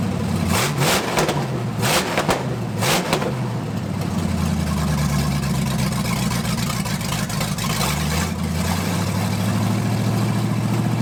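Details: 1980 Dodge short-bed truck with big-block V8, first run in 14 years, during cam break-in after points-to-electronic-ignition conversion: steady raised-rev fast idle with a few throttle blips, even firing, no misses or knocks; healthy.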